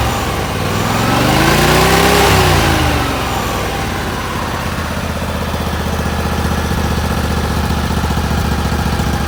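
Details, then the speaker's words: John Deere LX188 riding mower single-cylinder engine after carburetor install and pushing the governor pin back in: revs briefly, then settles into an even, steady idle with no surging or hunting; the dislodged governor pin had caused the idling problem. "So I pushed it all the way this way, went to start it up, and it ran normally."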